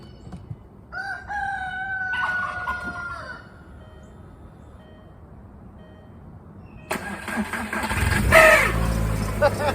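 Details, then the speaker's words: New VW Beetle turbo after crank sensor replacement: cranks briefly, catches and settles into steady idle with rooster crowing; normal start and idle. "so now it runs so now now we know that we can move forward with doing some fun things"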